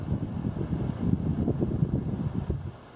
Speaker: now you can see the fan shows high you can hear the relay click and the fan speeds up a little bit not too much of a difference but it pulls a little more